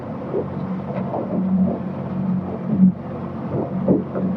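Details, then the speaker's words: Boat outboard engine restarted at sea after a no-start, cruising home at steady speed in wind and cooling weather: even low drone, no misses or knocks; normal running. "and as you can hear the engine starts and yeah I was just absolutely just crapping it but yeah it's alive"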